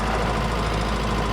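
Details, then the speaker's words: 1983 Toyota pickup, cold start at idle: faint whirring over the engine note from a worn throwout bearing that goes away when the clutch is depressed. "And you can hear that throwout bearing, because when I depress the clutch,"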